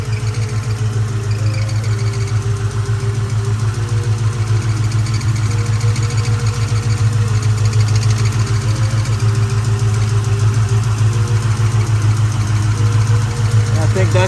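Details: 2004 Mustang GT 4.6 V8 at steady idle: faint, uneven chirp about three times a second over the rumble, seeming to come from the clutch area; owner suspects too much play, cause unconfirmed.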